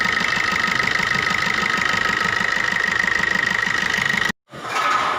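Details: Maruti new Swift diesel idling with regular knocking and white smoke when revved: sharp regular knocks about two a second plus steady high tone; injector no. 1 return about double normal; injector to be removed for service.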